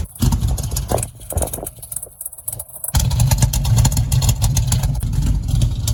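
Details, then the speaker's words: Chevy Nova 327 V8 fitted with new glasspack mufflers and a relocated exhaust exit idles with a deep, lumpy, loud but even burble, with no rattles or leaks; normal exhaust note. "327 pretty good now. Sounds a whole lot better, too. That's how muscle's supposed to sound."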